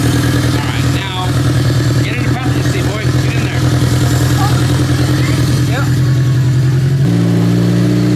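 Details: Honda K24-swapped sand rail on Hondata K-Pro, first runs on a remote tune with fuel not yet dialed in: loud four-cylinder rumble with revs that waver and stumble; runs a bit rough but still rips.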